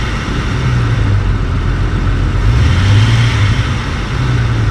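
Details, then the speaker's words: Jeep XJ on its first start after a cylinder head job: deep idle rumble with an uneven, stumbling beat and a periodic skip; the OBD2 reader showed a cylinder 6 misfire and a cylinder 6 injector open circuit. "It was at that very moment that I started to realize that it was misfiring. Sure enough, plugged in my OBD2 reader, cylinder 6 was misfiring"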